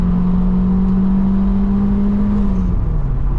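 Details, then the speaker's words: Vauxhall Cavalier Diplomat 2.0i at full throttle after clearing a suspected partially clogged exhaust: a strong, clean rising note pulling to 6,000 rpm with no flat spots. Healthy, after earlier severe power loss. "And it will pull clearly all the way to 6,000 RPM. Fantastic, what a difference."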